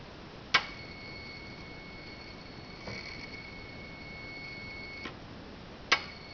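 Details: 2013 Hyundai Genesis Coupe 3.8 GDI, ignition on, engine not running: each light press of the gas pedal brings a sharp click and thin high whine from the electronic throttle body; owner thinks it abnormal, plans to replace the throttle body and motor.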